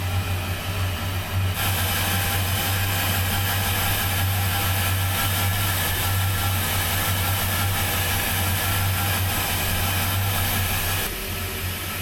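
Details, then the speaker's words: 33 ft express cruiser with twin engines, port engine after winter lay-up and manifold/riser service: catches and settles into an even, steady low hum, no misses or knocks; smooth healthy idle. "That sounds really good actually. It sounds very smooth. So, the port sounds really good."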